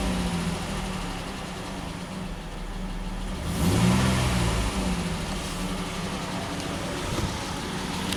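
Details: Dodge Nitro (misfire investigation), after new timing belt and tensioner, no fan installed: even idle, one smooth throttle blip rising and falling cleanly, back to steady idle with no misfire stumble; sounds healthy.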